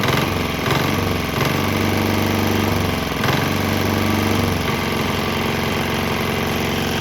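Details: Swan X 165F Chinese single-cylinder diesel running on 100% canola fryer oil with about 10% diesel left in the tank; steady even thump, no misfire or knock, settling to a constant speed, runs fine.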